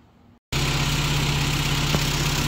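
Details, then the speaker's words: 80s-era Mini with a freshly rebuilt carburetor replacing one with so much air leakage it nearly stalled, initial idle just set: steady, smooth, even idle with no misses or hunting; normal, clean idle. "well we've got the new carbon and and uh I just set up initially idle at 9596 but uh really nice really clean so far"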